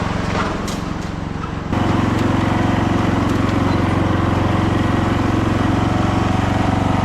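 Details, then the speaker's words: Free roadside lawn tractor revived with its mower deck removed, on a test drive: the single-cylinder engine holds a steady, even putter at working speed with no misses or surging; it runs well. "All right, guys. Well, it runs good. It drives good."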